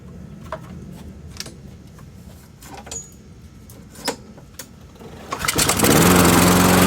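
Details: MTD Pro Honda mower with GCV160 engine, brittle old fuel line: scattered clicks, then engine catches and settles into an even running note with no misses; runs properly.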